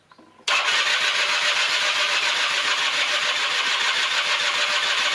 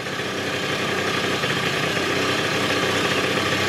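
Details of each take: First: 1996 Rexy 50 two-stroke scooter barn find, correct NGK B8S plug, starting spray used: a few seconds of fast, raspy, uneven firing that never settles to idle; it only catches briefly (managed three times), so the carburetor is removed next. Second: 1996 Rexy 50 two-stroke scooter, barn find, first start after 13 years, running on tank fuel about 10–15 minutes: steady, even buzz with no misses or surges, idling cleanly; normal idle.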